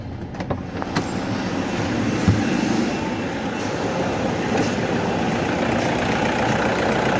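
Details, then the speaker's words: Toyota Hilux after alternator removal and refit with belt, started to check for noise and battery warning light: settles into steady even idle with no whine or squeal; alternator running noise gone, charging OK. "Yun mga boss wala ng ingay normal na yung ingay niya hindi kaya kanina nga iba ang ingay"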